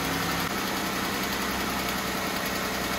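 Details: Jeep Wrangler, Chrysler 3.6 L V6, at idle: a light, fast tick that follows engine speed, from one side, worsening over the past month. Suspected lifters and rocker arms, which the owner plans to replace.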